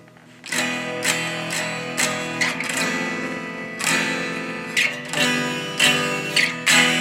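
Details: Fender Blues Deville tube guitar amp built 1993–96 with 12AX7 preamp tubes, fixed bias; strummed guitar sounds harsh, fizzy and thin with no body, amp should be much louder, possibly a major problem; distorted weak output, cause unknown.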